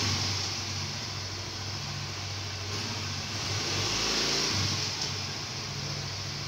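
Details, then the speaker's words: Automatic (CVT) scooter pulling away after sanding the clutch bell and cleaning the clutch linings: smooth, steady drone rising evenly with no judder; the take-off vibration is gone. "Oke baik teman-teman ya jadi unit ini sudah kita tes dan getaran pada saat putaran awalnya itu sudah hilang Alhamdulillah ya"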